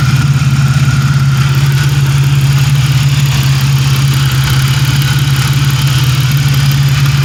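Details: 1997 Pontiac Grand Prix GTP coupe idling with no catalytic converter fitted: a loud, deep, steady idle rumble with an even beat and no missing; normal idle, running great.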